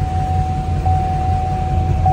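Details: Wrecked GMC Sierra K3500 Denali, salvage truck, started on jump boxes with dead batteries and hard to start: an even, smooth low diesel rumble with a faint steady whistle and no knocks or misses; a healthy idle.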